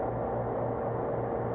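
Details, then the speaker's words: Walk-in cooler compressor running on R22 after replacing bad capacitors, line sweating: steady low hum with even drone, no clicks or stumbles; normal running. "So I mean it's running. Cyclass is going to go. It's going to start bubbling here in a minute once that TX starts opening. But we're up and running."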